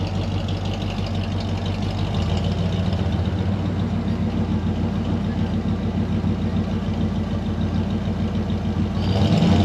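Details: Ford 302 V8 Econoline van, cold start after replacing bent #5 intake pushrod (suspected stuck valve), dual exhaust. Even burble with slight cold-start lope, rising a little near the end, no ticking or clatter; all eight firing properly.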